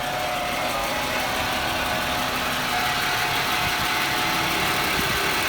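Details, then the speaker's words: 1996 Jaguar XJ6 inline six at a steady, smooth idle just after an oil change with Mobil 1, with no knocks, ticks or misses. Good oil pressure and no leaks; it sounds healthy. "it sounds healthy."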